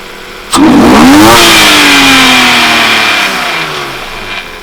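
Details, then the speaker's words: 1995 BMW E36 325i after replacing the cracked intake boot and air filter and cleaning the clogged MAF: starts cleanly, revs briefly and settles to an even idle with no stumble; running better. "today we got the bmw running a little better still needs a lot of work"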